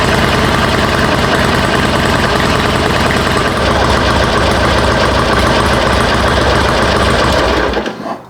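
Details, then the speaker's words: 2005 Harley-Davidson Sportster 1200 Custom, idling after a cold start on a newly fitted TYKOOL lithium battery: strong, loping V-twin beat with no misses, then a clean shutdown. Healthy. "Perfect. Well, it starts and it runs, and it sounds like it's getting enough power for sure."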